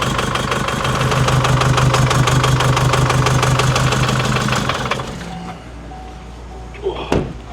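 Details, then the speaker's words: Chevy Colorado Baby Max diesel, about 4,000 miles after purchase: loud idle with sharp regular puffing tick about three times a second from exhaust leak at turbo outlet, likely missing bolt. "It's definitely pretty loud. There's a freaking exhaust leak coming out the back of the turbo. I can tell. I think it's missing a bolt and I can push up on it."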